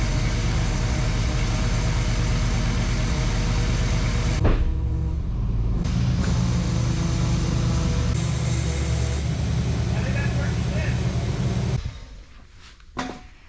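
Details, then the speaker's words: 1994 Chevy big-block V8 tow truck, sat for years, just given a new transmission: deep steady low rumble with an even beat and no knocks or misses; idling smoothly and healthy. "This sounds really nice. You're right. I forgot. Yeah. Is this good? Good sound."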